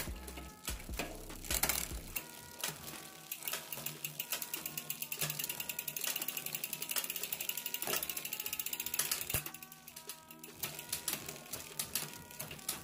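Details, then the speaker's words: Rear derailleur cage rubbing the cassette cogs when shifting up to first gear; fast steady ticking and light rattling as cranks turn, needing at least a centimetre of clearance via B-tension screw adjustment. "donc moi j'ai un problème c'est que en fait quand je remonte à la première voyez mon dérailleur touche les pignons"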